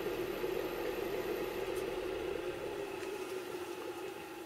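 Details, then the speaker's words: ECM furnace draft inducer motor after replacing its noisy worn 608 ball bearing with a double-sealed bearing, running briefly: quiet, steady mid-pitch whir with no rumble, grinding or squeal, much quieter than before; normal running. "oh that's pretty quiet much quieter than it was so there you go"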